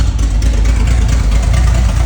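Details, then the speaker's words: Valiant Safari wagon after sitting, exhaust open straight out the extractors: loud, deep, even idle with steady low rumble and no misses; normal healthy idle. "now you got to remember it's straight out the extractors at the moment"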